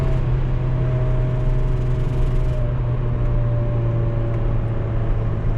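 Steady engine drone with a strange thin whistle slowly sagging in pitch; a breaking-up catalytic converter choking the exhaust.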